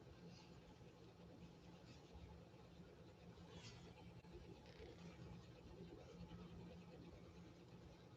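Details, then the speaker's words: 1931 Singer 101-4 sewing machine, restored after eBay purchase, sewing vinyl fake leather; low even hum with steady motor drone, no knocks or catches; normal running. "i'm going to pause this music for just a second put that music on pause for a second so you can hear this machine running"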